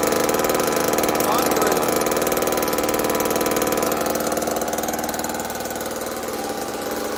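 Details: Old Homelite chainsaw, believed 1960s–70s, newly revived, choke off: loud rapid two-stroke buzz at fairly steady speed with slight unevenness; running normally, owner says it could run a bit better with adjustment.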